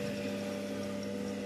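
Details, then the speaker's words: Incubator's small extra-heat exhaust fan switches on as soon as the temperature rises one point above the controller setting, running with a steady even hum, low and mid tones, no rubbing or rattle; normal operation. "تھوڑا سا ایک point بھی بڑھتا ہے تو یہ آن ہو جاتا ہے ایکسٹرا ہیٹ ایگزاسٹ فین."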